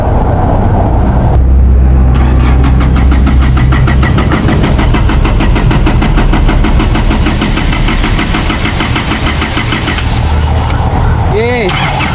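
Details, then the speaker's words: Isuzu D-Max 4GH1 diesel, converted from semi-electronic to mechanical injection, before repair; it also has white smoke and a rough idle with the aircon on, and sometimes won't start at all. The starter grinds for about ten seconds before the engine reluctantly catches; hard start. "Ganon siya ka hard start mga boss. Minsan daw ayaw talaga umandar mga boss."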